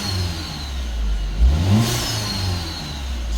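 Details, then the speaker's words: 2015 BMW F20, automatic: clean idle then a quick rev blip rising and falling smoothly with no rattles or misfires; engine sounds healthy. "It's a very nice car. It's a nice car and it sounds damn good."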